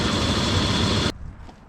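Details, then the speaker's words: 2002 Dodge Durango R/T after water pump replacement, engine running with belt on: harsh rough whirring and high-pitched whine from a worn A/C compressor clutch bearing; compressor later bypassed with a shorter belt. "currently uh you can hear the bearing making a lot of noise but it's just so we can check for leaks"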